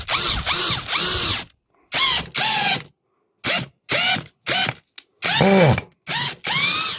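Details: PSBSAP 20-Li C3 cordless drill-driver, previously slipping in both speeds, after disassembly repair: short clean motor whir bursts driving a screw, rising and falling smoothly with no slipping; works except speed 1.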